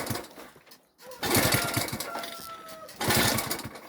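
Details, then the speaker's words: Delta moped, restart after a successful run: short raspy two-stroke firing bursts dying within seconds; cranks but fails to start; owner suspects misadjustment, too much air giving the wrong mixture, and a sooted plug. "Ну, дивіться, напевно, щось не так, щось не так відрегульовано. Може, я просто повітря багато подав. Получилась не така суміш, яка потрібна."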